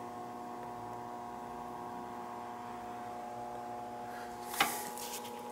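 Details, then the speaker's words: Ruud outdoor AC unit not cooling, homeowner reported humming: steady electrical hum and one sharp click, compressor never starts; technician attributes it to a bad capacitor. "what do you think the chance of that shutting it off and turning it back on is gonna work guarantee it's a capacitor i heard it"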